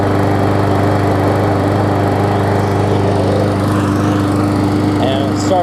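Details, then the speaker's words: Murray big wheel mower, original engine that had blow-by, now fitted with base plate from a swapped engine; runs smooth and steady at even speed with no misses or knocks: normal running. "but anyways here's the just want to finish this follow-up to this mower here and show that it runs hopefully runs good"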